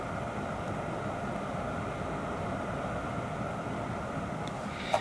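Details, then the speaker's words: SmallRig RC 220D light at 100% output, recorded close to the camera: steady soft airy hiss with faint constant hum, cooling fan running normally, seeming quieter than the RC 220B Pro; this fan cycles on and off with heat. "Right now I have the RC220D here on 100%, and the fan noise is kicking in, but it doesn't seem as loud as the 220 Pro."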